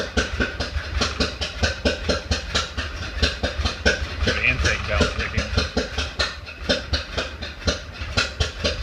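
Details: 1931 Ford Model A after 10+ years stored, weak battery, maybe flooded, timing fully advanced, in neutral; lumpy low idle with about three sharp pops a second back through carburetor, then dies; owner suspects sticking intake valve, unconfirmed.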